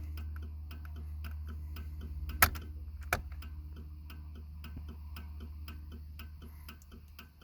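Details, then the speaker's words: 1995 Cadillac Fleetwood with parking lights on: turn signal relay clicks at roughly twice the normal rate over a low idle hum, hyperflash as if a bulb were out, though the bulbs are bright; cause unknown. "so i'm not entirely sure what's going on there um yeah it's flashing faster"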